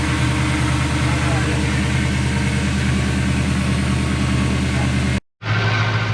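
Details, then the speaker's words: Ford Courier (Mazda) ute with Toyota 3UZ V8 swap and A650 5-speed auto: steady low idle with uneven, stumbling beat and occasional missed pulse, a misfire; thought related to the air intake setup, found dirty; cause not confirmed. "nous avions un raté n'a pas tourné quelque chose à voir avec cet air ouais mis en place"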